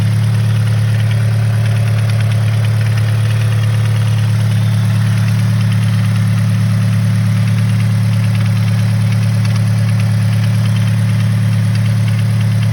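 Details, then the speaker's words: 2013 Scion FR-S after the recall repair, with the engine removed and refitted at the dealer: a steady idle with fast, even light ticking about three per second persists; the ticking noise was not fixed, source not pinned down. "listen closely, you can hear like this ticking noise."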